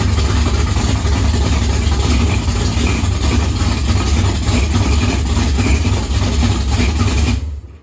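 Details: 440 V8 at idle: heavy, lumpy idle with a thin, raspy screech riding over it; a vacuum leak is suspected but not confirmed.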